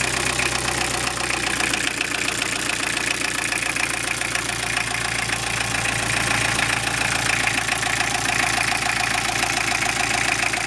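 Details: Toyota Emina/Estima with 3C-TE diesel engine at idle: steady, sharp tapping knock riding on the clatter, about three beats a second, even and persistent; engine knock.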